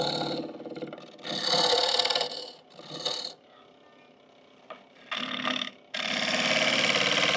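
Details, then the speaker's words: Lathe turning a green hickory bowl interior with a small 3/8 gouge on finishing cuts, extended too far past the tool rest; bursts of harsh rattling scrape come and go; vibration and chatter from tool overhang. "I think I'm overhung a little bit and getting some vibration and some uh kind of chatter just from being extended past the tool rest more than I should be with a small diameter gouge"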